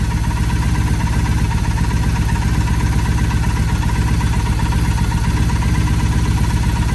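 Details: 2007 Triumph Bonneville T100 after carburetor synchronization with a SynX sync tester: steady, even twin thump at low idle, about two and a half beats a second, no stumble or hunting; carbs balanced, normal idle.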